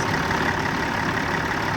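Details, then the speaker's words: Kenworth T600 semi idling with the fan engaged via a newly installed manual air-line fan clutch switch: heavy smooth diesel idle with steady rushing fan roar, no knocks; fan clutch working. "Gotta hear the little air hiss, and you can really feel it engage right away and hear it too."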